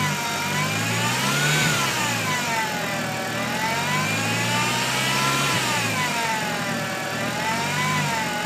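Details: 1.8T engine bay: clear high whine rising and falling with revs, persisting after power steering fluid was checked and topped up; belt- or engine-driven whine, source unknown.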